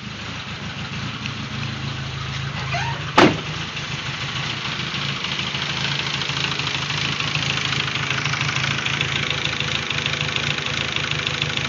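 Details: Rebuilt 2001 VW GTI 1.8T idles unevenly with a stumbling low beat, knocking/misfiring since first start after a K03 to K04-01 turbo swap; 180 psi compression on all cylinders before the swap, cause not found.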